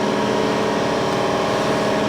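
Loud, even drone with a steady low hum and no knocks or surges; the piston compressor is running normally.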